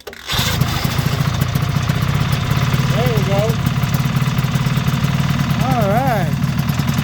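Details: 1973 Ski-Doo 399 twin two-stroke snowmobile after clearing a fuel-passage obstruction, warming up: steady burble holds an even beat with no misses or knocks; running smoothly and healthy.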